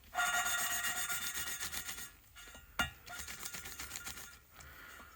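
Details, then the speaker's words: Jaguar XJS V12 6.0 cylinder head, valve hand-lapped with grinding compound: gritty rasping scrape in short back-and-forth strokes turning softer and finer as the grit breaks down; valve lapping. "so here's the sound when you first start awful as you can hear that's popping off again"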